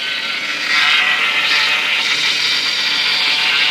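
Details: Chevy Avalanche engine noise at idle: loud steady high hiss-whine that rises with rpm and gets worse when turning the steering wheel and applying the brakes; owner suspects alternator, AC pump or power steering pump, cause unclear.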